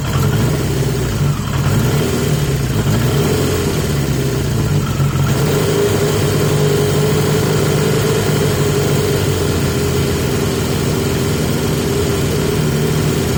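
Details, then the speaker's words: 1980 Yamaha XJ650 four-cylinder, back on the airbox with the filter reseated. Steady, fairly fast idle with an even firing beat and no dips. Still idling higher than it should; the airbox made it better but didn't cure it, and the cause is unknown. "I think fairly undoubtedly it runs better on the box but it's still it's still got an idle problem and going back to the airbox hasn't cured it it's made it better but it hasn't cured it and I don't know why"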